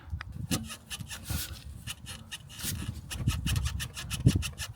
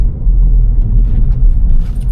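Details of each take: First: Vauxhall Corsa front suspension rocked by hand, with irregular creaking squeaks and dull knocks from excessive play in the worn strut top mount bearing; it caused wandering and unstable driving and needs replacement. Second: Vauxhall Corsa reversing slowly after replacing a worn shock absorber top mount: low even rumble, the former front suspension knock gone and steering tighter. No suspension knock.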